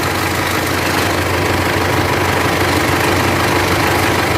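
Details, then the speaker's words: Mitsubishi L200 Triton 3.2 diesel at idle before repair, no dashboard warning lights, air conditioning off: a busy metallic clatter runs steadily through the knock, a worn, slack timing chain rattle; the chain is to be replaced. "tá vendo aí pessoal jeito que tá o barulho do motor dela tenha Corrente Comando"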